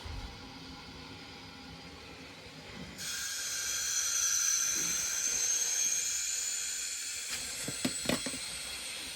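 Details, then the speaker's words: Lochinvar boiler system that had airbound zones, after air separator repair with the feeder opened to repressurize the tank and boiler: steady sharp hiss of air venting from the air separator, which was not happening before. "Hear that air being hissing out of there, which you weren't getting before."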